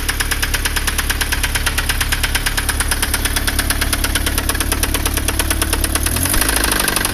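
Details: Astra 1.8 engine with the oil pressure light on: heavy, even knocking about three times a second over the idle, a rod knock.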